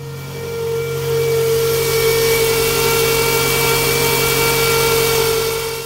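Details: Toyota engine, battery voltage reading 12 V: steady high whine at a fixed pitch over the running engine; engine whine, alternator suspected, not confirmed.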